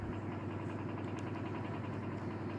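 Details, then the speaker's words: Elcon 16-inch desk fan after motor repair (7 coins removed, rusted motor, bent blades still wobble): steady even hum, airy rush, light rhythmic blade flutter, no grinding; runs faster than before, motor healthy. "that's much better. Even the speed is a lot higher than before. And you get that beautiful sound of that motor too."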